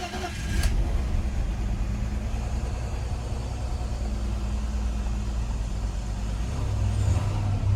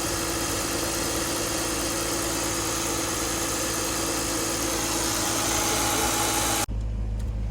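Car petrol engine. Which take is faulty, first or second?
first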